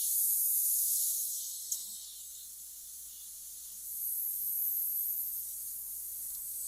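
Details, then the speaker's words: Airbrush spraying paint on a 1940 Ford pickup cab, barely opened: a soft spray hiss with a faint, thin high squeal caused by paint drying in the tip. "you can hear that little squealing a little bit. That's paint drying in the tip."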